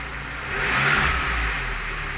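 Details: Lada Niva engine knock: the engine swells through a rev and settles back with a light, rough knocking under the drone; the owner asks what it is, cause unclear.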